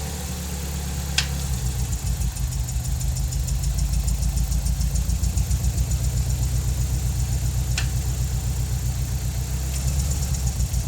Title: 200Sx Bruit moteur